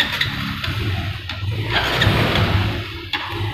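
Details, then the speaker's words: Honda Revo FI (K03) fuel-injected motorcycle, engine started and throttle blipped: RPM won't climb, stumbling and stuttering (brebet) instead of revving cleanly. "ya perhatikan kita hidupkan motornya ini motornya di gas Brebes RPM tidak mau naik ya teman-teman jadi ketika motornya hidup itu di gas ataupun rpm nya itu tidak mau naik teman-teman malah brebet ya teman-teman"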